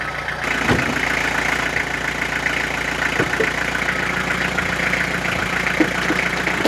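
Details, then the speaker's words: Renault Master started in cold, very damp weather (about 3°C) after standing unused three weeks to a month: slightly high, steady idle with some uneven puffs, revs already dropping a little as it runs. "le masters évidemment le ralenti un peu haut mais là ça fait trois semaines un mois qu'elle n'a pas démarré"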